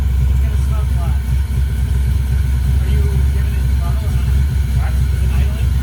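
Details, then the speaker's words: 1968 Ford Mustang with swapped fuel-injected Ford Explorer 5.0L V8 and 4R70W transmission, first start: deep, steady V8 rumble at idle with an even beat and no knocks or misses; runs smoothly. "it started up the first time okay and that was with like a crazy amount of wiring I can give you a hug cuz you got your thing on see you arrive and the car starts W that's right baby all right it starts it runs it idles I'm I'm so stoked"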